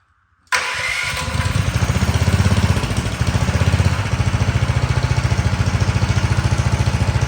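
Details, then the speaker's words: Big-block engine mini bike with a single-sided swingarm and new exhaust, first start before its test ride: the starter whirs briefly, then the engine catches and settles into an even, steady single-cylinder thump; sounds good, a normal start and idle. "Not bad. Not bad at all. It sounds good."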